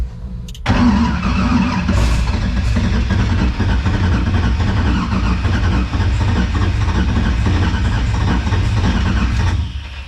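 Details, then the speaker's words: LS V8 swapped into a Nissan 350z drift car with new stainless exhaust: about nine seconds of even starter cranking with the fuel system off to prime oil before first start; plenty of oil pressure, normal cranking. "I saw plenty of oil pressure cranking with the starter with the fuel system off"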